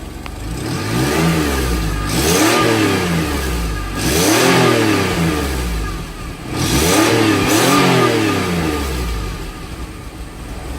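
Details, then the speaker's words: GM F-body, heard outside at exhaust side: three strong free revs in neutral rising and falling cleanly, no tinny buzz or rattle; pipe-within-pipe exhaust rattle fixed with self-tapping screw. "Alright, well, he took that a little too serious. So, it's not rattling."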